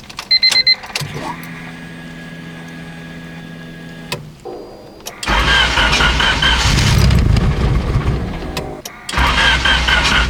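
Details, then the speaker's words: Turbo Honda D-series after overheating fix (block guard, thermostat, coil-on-plug pins repaired), running water without coolant: starter spins a few seconds, engine catches into a loud steady idle with no misses; temperature at 182 while idling, fan cycling normally. "all right boys so currently we're at 182 just sitting here idling did hear the fan kick on so it's working and the fan just shut off"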